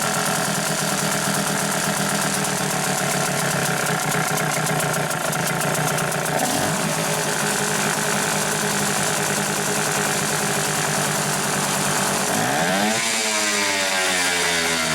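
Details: Hangkai 6.0 outboard after repair of a noise under the flywheel from a disintegrated bearing, block cover removed and cleaned: steady even buzz with a clean rev rise near the end, no knock; normal running.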